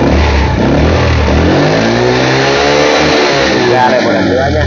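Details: Yamaha 50cc student scooter, 6,551 km, weak battery and failed electric start; after repair, engine revs and settles cleanly, pitch tracking throttle smoothly, no misses or knocks; charging voltage just over 14V, under 15V, meets standard.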